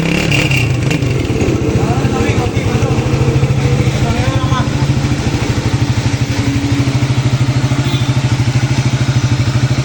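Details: CG150 pushrod single-cylinder motorcycle after replacing worn camshaft and both timing gears (wear from poor oil); steady even thumping with no top-end tapping or clatter; normal running, cam noise fixed.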